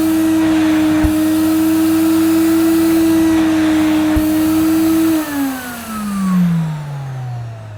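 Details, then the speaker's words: Mid-1990s (c.1994) Hoover Aquajet S4488 wet vacuum picking up spilled liquid: steady even motor whine with constant suction pull, pitch sliding down as motor spins off; suction normal, pump fine, fault lies in the solution hose (possibly twisted). "so there's nothing wrong with the suction it is picking up the problem lies within the hose"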